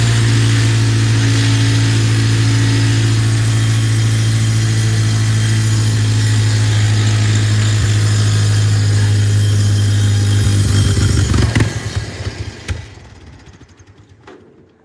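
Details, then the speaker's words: Tractor engine, bought used, running on fresh gas after the bowl was checked and the fuel looked fine; a steady low beat suddenly falters and dies around eleven seconds. Water in the fuel was suspected; the cause was a clogged carburettor jet starving the engine of fuel. "Dang. Huh. I wonder what the problem is here. Sounds like water in the fuel."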